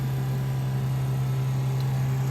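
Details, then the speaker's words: 1968 Plymouth Barracuda drag car electric fuel pump after adding a return line with a Moroso fuel log and relocating the regulator, pressure just under 6.5: a low, steady, even hum with no surging or whine, quieter than before. "Can you hear the difference in the sound of the pump? Let me get back there so you can listen to it. That's so much nicer, quieter."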